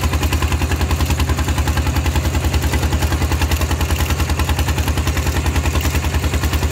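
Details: Steel-wheeled tractor ploughing a rice field with a loud replacement exhaust pipe: hard, even thumping about 200 beats a minute with a deep, raw bark; the exhaust pipe is open and very loud.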